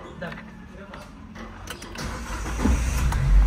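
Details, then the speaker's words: Used car after repair (flattened oxygen sensor replaced, CKP socket fixed, tampered engine lamp restored): short crank, then the engine catches almost at once and settles to a steady low idle. Long cranking is gone; normal quick start. "starternya juga udah enggak panjang ya Nih coba kita matikan starternya kita starter"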